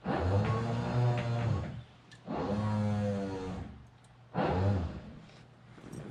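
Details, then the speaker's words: 1966 Corvette C2 Sting Ray, parked 14 years, power antenna cycled up and down by its switch: three smooth motor whirs of about two seconds each, steady pitch with clean stops; normal operation. "says antenna up down i can hear it let's take a look back there it's power antenna oh yeah"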